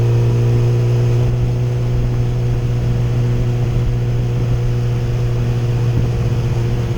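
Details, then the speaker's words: 2008 Yamaha FZ1 after replacing the ignition coils, which cured a stutter and hesitation under 4000 rpm: the bike now pulls with a smooth, steady drone through low revs, no missed beats. "I was thought I would would let you guys know how I fixed that what my problem was swapped out the coil now she rides like a dream"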